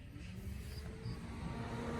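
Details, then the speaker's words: Range Rover P38 with custom-installed electric thermofan, switched to manual high speed after a drive: constant whirring rush with low steady drone and light rattle; fan running flat out, sounding normal. "Fan's on high speed."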